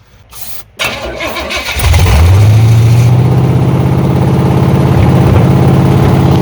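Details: 1986 Chevy Silverado with 5.7 350 Vortec V8 after camshaft swap to run the stock mechanical fuel pump, refired to check pumping: rough cranking about 1.5 seconds, then catches cleanly into a steady even idle; normal start.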